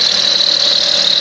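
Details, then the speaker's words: Lexus RX 400h hybrid, 164,396 miles, climate off and throttle held so engine restarts itself: steady piercing high-pitched squeal over the running engine; by elimination believed to come from under the timing cover, source not yet confirmed. "yeah it's got to be coming from under the cover"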